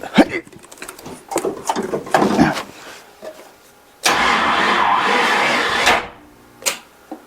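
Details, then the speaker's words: 1979 Chevy K20 Squarebody that sat about 30 years; engine freed with a crowbar and the starter untried. It turns in uneven bursts, hits a hard spot and drags with harsh grinding, and something is smoking. Owner plans to swap the starter. "oh that ain't good oh hit a hard spot smok yeah something smoking too"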